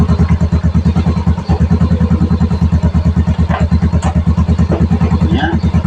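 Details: Yamaha Mio i125 scooter idling after a no-start, before road test; steady, even single-cylinder putter around three beats a second, no misses or knocks. Normal smooth idle.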